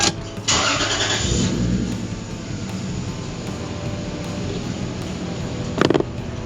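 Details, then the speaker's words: Lexus IS300 after replacing the throttle position sensor: the petrol engine holds an even idle, with the earlier pulsing high-rev and low-dip surging gone. "There she is, running without freaking high revving and low dipping idle."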